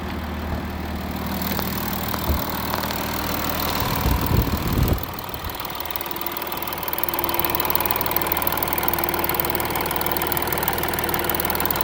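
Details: Warm Audi A6 3.0 TDI 272 PS diesel after about 100 km of motorway driving, idling with a light, uneven top-end rattle and a brief rev blip; owner suspects camshaft and chain tensioner damage.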